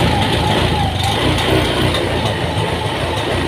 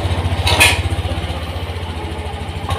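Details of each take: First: Honda injected scooter (Beat FI), just serviced and with a stored DTC: the single idles unevenly and stumbles at about three beats a second. Rough, hesitant running before an ECU reset done via the front brake switch. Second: Honda Beat FI (Euro 5) after ECU reset via front brake switch clearing stored DTC: steady even idle pulse with no stumbles, no longer hanging, picks up smoothly and more responsive; normal idle.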